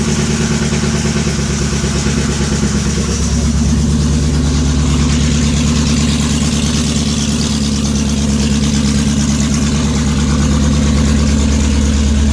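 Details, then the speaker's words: VW W8 on first start after head gasket repair with ports matched to intake; clattery busy noise over deep uneven idle, owner suspects cam phasers slapping until oil pressure builds, expects rough running for first few minutes. "it's going to be noisy I can hear the uh cam phasers slapping around in there so they're going to they're going to take a little while to build up uh oil pressure I remember uh with the other W8 that I had apart um it ran pretty bad for the first few minutes when I fired it up so I'm expecting that here"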